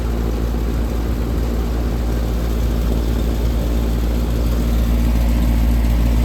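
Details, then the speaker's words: 22-year-old AC unit with a belt-driven blower: the compressor started after a few seconds of locked rotor and drones steadily with no airflow. The blower isn't running (maybe a thrown belt, motor freewheeling), so the coil is icing up. "yeah she's icing up I guess the blower isn't running"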